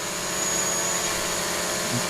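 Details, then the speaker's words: DJI Mavic Pro hovering with three damaged propellers: a steady high buzzing with a slightly rough, wavering tone as the motors correct. The drone is a little wobbly and the props sound uneven. "It's a little bit wobbly, and I can hear it. Its propellers sound uneven, like it's, you know, clearly."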